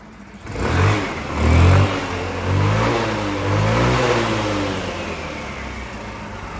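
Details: Wolf EX-150 scooter, GY6 157QMJ 150cc four-stroke, after a hard-starting fix: crisp throttle blips rise and fall cleanly, then settle into a smooth, even idle. The engine runs healthy.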